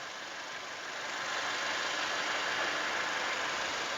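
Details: 2014 Toyota Innova G 2.0 petrol manual: starts on the first try and idles with a steady, even hiss-like sound, no knocks or misses; the engine is dry with no leaks, a smooth idle.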